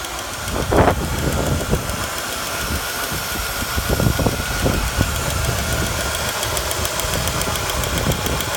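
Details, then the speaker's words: 1991 Cadillac Eldorado, 80k miles, neglected 27 years: steady even idle with a few scattered clicks, no knock or miss; engine runs pretty smooth. "Engine runs pretty smooth."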